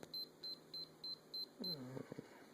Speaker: so put it back in record mode look at that okay that's back to record mode just beeps